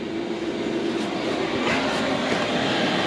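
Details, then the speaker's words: Diesel heater fitted in a Fiat Ducato camper conversion, first burn, warming up at full power with fan speed rising and display lights climbing; steady roaring burner and fan rush with faint pulsing, even and strong, running healthy. "show you the heater warming up pretty much fan speed is kicking up two two lights on that bit"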